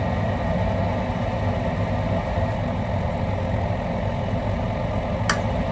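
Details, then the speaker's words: Lennox high-efficiency residential gas furnace at the start of its heating sequence: the induced draft fan motor comes on with a steady, even low hum, no rattle or scrape, while the circuit board energizes the glow igniter; normal inducer operation. "First the induced draft fan motor will come on. Next the glow igniter will be energized by the circuit board."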